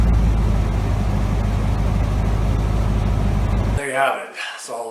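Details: Cobra engine after fixing first-start idle control issues: even low rumbling idle, steady beat, no stumbles or surging, then shuts off cleanly; normal idle.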